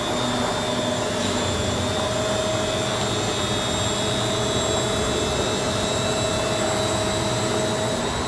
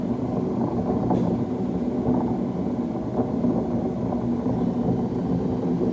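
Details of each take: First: Beko D5 7101 washing machine with plastic drum after bearing and seal replacement: smooth, even spin with a steady motor whine and no growl or rumble from the drum; bearings sound healthy. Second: Beko D5 7101 washing machine, drum spinning: loud steady low rumbling roar, no knock rhythm; worn drum bearings, fixed by replacing bearing and seal in cut plastic tub.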